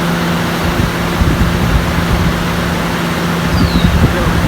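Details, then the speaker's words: RV roof air conditioner after replacing the loud fan motor: smooth, even hum with steady low drone and no rattles or scraping; new fan motor running quiet and healthy. "see the difference in the noise definitely took care of that problem"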